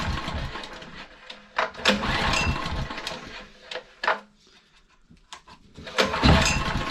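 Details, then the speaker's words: Honda EG1900X generator, Honda GX140 single, stored over 10 years with fuel tap left on, before carb cleaning, on half choke: surging and stumbling, bursts of firing with near-stalls; runs only on choke, stale fuel suspected. "so it's only running on choke which is expected I mean that fuel is pretty Grim so that doesn't surprise me really"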